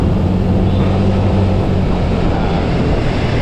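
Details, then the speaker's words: Honda Beat ESP scooter fitted with light 10 g CVT rollers (5 g under stock): a loud, steady, deep roar under throttle, louder than with 12 g rollers and more responsive, with revs running high before it pulls. "Jadi kalau dibandingin sama yang tadi 12 gram, kalau yang ini tuh dia lebih gerung teman-teman ya."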